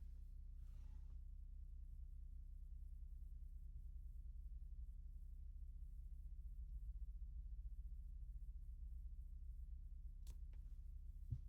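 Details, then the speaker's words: Dudu7 head unit sending USB digital audio to a DSP and amplifiers, recorded with a measurement microphone, playing a very low-volume sine test tone before the camera is opened: a faint, steady hum with no crackle, pops or dropouts, clean playback. "I'm just playing sine tone uh like really really low volume 3% uh 45 GHz um so it plays like this."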